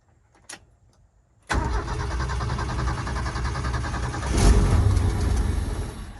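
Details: 1971 Ford F-350 crew cab with a straight six, revived after 20 years sitting and low on gas, given carb cleaner: steady starter churn with even compression pulses, about three or four a second, never catching. Hard no-start; owner suspects intermittent spark or fuel not getting through.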